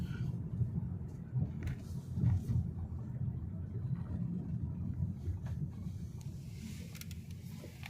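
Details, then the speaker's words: Lada Vesta NG Cross driving at about -10°C: dull, sharp knocks and rattles from the front suspension over bumps on stiff suspension. Driver notes a constant chattering, perhaps a shock absorber; source is unclear. "что-то не переда передок гремит прямо"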